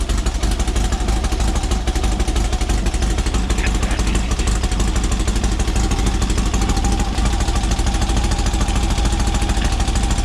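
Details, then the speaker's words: Silver Volkswagen air-cooled dune car after a dune trip, running on its freshly rebuilt carburetor: rough, busy clatter at steady fast idle, no stumbles or misses, instant throttle response with no hesitation; gushing oil. "The car is running good because we're not in the dunes, and the mosquito jerks has been lifted."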